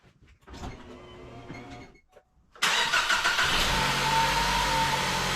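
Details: 2018 Ford Focus 2.0L, first start after water pump replacement and coolant refill (overheating at idle traced to radiator fan not running from a blown mega fuse): starter whirs briefly, engine catches cleanly into a steady, even idle, no knocks or squeals; normal start.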